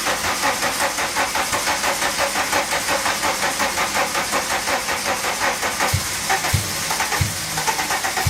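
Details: 1985 VW Cabriolet off the road for 17 years, first start attempt on a weak jump starter: slow, laboring crank at about three compression beats a second with a few weak pops but no start; battery too weak.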